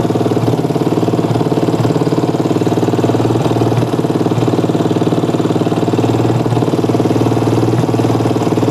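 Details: Yamaha Jupiter MX single-cylinder motorcycle idling after the repair: a steady, even putter of about three to four beats a second with no knocks or misses. Charging output was measured at about 13 V. The earlier hard starting was blamed on a battery run down by no charging.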